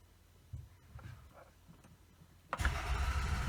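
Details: Toyota Camry with EFI fuse pulled: starter spins the engine over with a steady chugging rhythm but it never catches; cranks with no start because there is no fuel.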